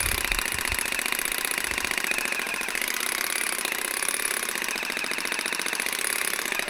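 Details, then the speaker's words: Old Makita DUN461 pole hedge trimmer after reassembling blade head, cutting twigs; harsh rapid blade chatter bogging on twigs; rackety and still no torque, about the same as before repair, cause unconfirmed. "Well, it's still fucked. It's just got no torque in it at all."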